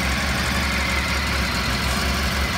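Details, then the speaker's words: Honda RC30 VFR 750R V4 after complete engine overhaul (cam drive, crank sprocket, broken camshaft replaced), cold start on a little choke: smooth, stable even idle with no misfires or clatter; engine sound. "Engine is right cool, just started it, with a little choke in it, runs very smooth,"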